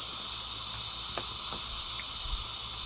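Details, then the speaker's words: Homeline AC breaker used on a DC solar array: steady high hiss and sizzle with sharp crackles as a sustained DC arc burns inside the breaker, which is turning white and about to blow out. "i don't know if you can hear that but you can hear that dc arcing inside that breaker and you can see the breaker starting to turn white down bottom where it's getting ready to blow out through"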